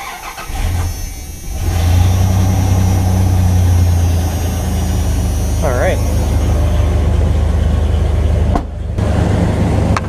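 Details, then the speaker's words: Dodge Dakota truck that sat a long time, started after repairs with the door open. Cranks and catches at once, then settles into a smooth, even low idle with the fan blowing loudly (owner thinks the fan is a little stiff). No drips; normal start and idle. "Let's get that door open, pop that door open as well, start it up and let it idle for a little bit."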